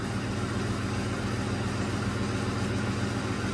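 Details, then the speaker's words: 2007 Ford F-150 4.6 V8 idling after a carbon-tracked plug, boot and coil were replaced: a low, even burble with no stumbles. It is no longer misfiring and the numbers are good. "they're good numbers it's running smooth"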